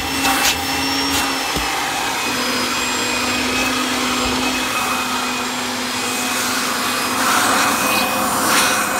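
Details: 1997 Kirby G5 upright vacuum with metal fan, hose and dusting brush attached: steady high whirr with faint even hum, no rattles or pitch wobble; fan sounds like a vintage 500-series Kirby; normal running.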